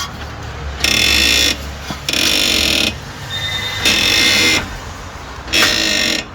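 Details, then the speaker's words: 2016 Hyundai HB20 1.6 sedan at 130,000 km, car rocked by hand: high squealing creaks about a second long with each push from the original, never-replaced front shock absorbers; front suspension creak. "e aqui a suspensão Tá com rangido que ainda é original nunca mexeu O Lucas vai movimentar aqui vamos ver se dá para ouvir aqui ó"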